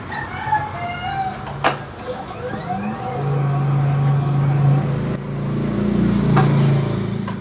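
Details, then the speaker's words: Fuel-injected motorcycle that dies and won't start; the fuel pump's positive and negative supply and body ground test good with a test light. After the key clicks, the pump hums steadily for about 1.5 s and stops, priming normally. "Okay, gumagana naman yung ating fuel pump mga katropa, kompleto naman."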